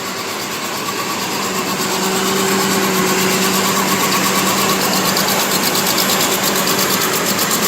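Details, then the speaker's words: 2008 Chevy Trailblazer, bought as a non-runner, started after sitting: idling petrol engine with a sharp, rapid ticking puff of an exhaust leak; owner suspects a coil pack could also be bad; running otherwise. "hear that exhaust leak one of our coil packs could easily be bad uh you know we'll just have to check things out but it's running it is running"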